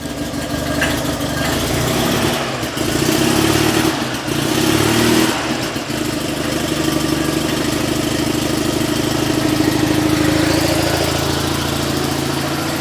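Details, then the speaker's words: Invacar two-stroke, just jump-started after months sitting, on too much choke per owner: uneven idle with lumpy wandering revs and occasional stumbles, rich and blubbery; rough running from over-choking. "Good old torque. That'll be too much choke to talk."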